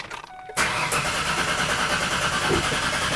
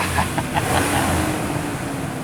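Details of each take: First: 2005 Ford Ranger Edge with swapped engine, unstarted for four years, battery fitted: starter churns about three beats a second, pauses, cranks again and nearly catches; long crank before it eventually starts. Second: 2005 Ford Ranger Edge with a swapped engine, first start after sitting four years in a garage, with a new battery: settles into a smooth, steady idle with no knocks or misses and no dashboard warning lights.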